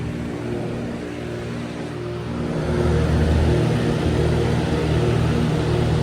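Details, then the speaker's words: 2012 Lasko side-discharge 400 series heat pump with scroll compressor, switched to heat mode for about a minute: quiet steady hum, more a vibration than slugging, warming up. It is normal running in heat mode. "But yeah, you can hear the difference how quiet it is. Oh yeah, it's getting warm. It's much more of just a vibration than the slug."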